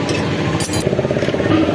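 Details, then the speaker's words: Hero Splendor Plus single-cylinder bike idling after tappet clearance adjustment fixed a ticking tappet noise; quick steady beat with no top-end ticking, now smooth at no cost; healthy idle. "दोस्तों सुन पा रहे होंगे दोस्तों कि देश के आवाज की दोस्तों बिल्कुल एक एकदम मस्त हो गया मखन हो गई है ना ही किसी खर्चे के ओनली डेविड सेट करने से"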